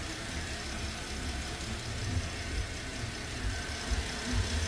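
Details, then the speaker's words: 2013 Porsche Panamera after timing chain replacement for P0016 stretched chain, idled about an hour, no oil leaks, no check engine light: quiet even low rumble, no ticking, rattling or knocking; healthy idle. "no fan yet I just shut it off it's been idling for about an hour no oil leaks everything's good no check engine light"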